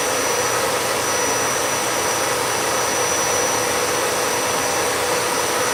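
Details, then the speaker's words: Royal upright shampooer with little liquid in tank, switched on: steady high whirring motor hum with even hiss, no change in note; runs but nothing sprays, pump suspected. "All right, so let's turn it on and see. Nothing's coming out."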